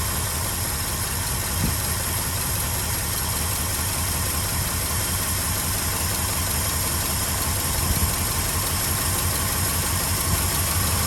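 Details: 1967 Ford F-350 Custom V8 that sat about 10 years, running on its old uncleaned ignition points: even, steady low rumble at a smooth idle, no knocks, misses or hunting; normal idle. Carburetor accelerator pump diaphragm leaking badly.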